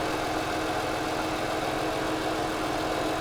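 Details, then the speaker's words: $620 Copart Mercedes that didn't run, first start after sitting, nearly out of gas: steady even idle with smooth hiss, no knocks or misses; normal idle. "holy moly it sounds good you are kidding me hallelujah"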